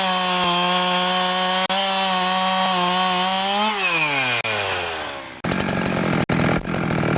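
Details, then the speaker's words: Husqvarna 365 chainsaw after intake boot replacement, run outside: crisp steady high-rev buzz dropping cleanly off throttle and picking right back up; running healthy. "so now that I'm done installing the intake boot I'm going to take it outside start it up and make sure it runs good"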